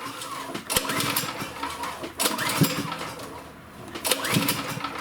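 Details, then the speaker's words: Champion generator, overhead-valve engine, choked with spark plug in: each recoil pull spins fast and light with no compression thump and only a faint sputter; no compression. "the way I know it's got no compression is that it's super easy to pull. It's really easy to pull over, just like as if the spark plug was out of it."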